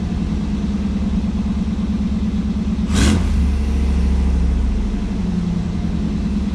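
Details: 1989 Firebird Formula, tired 350 V8 with new headers, air cleaner off, warming up in freezing weather, condensation in pipes: deep, even exhaust rumble and clean throttle blip; normal running.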